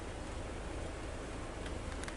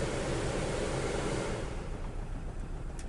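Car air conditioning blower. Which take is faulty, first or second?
second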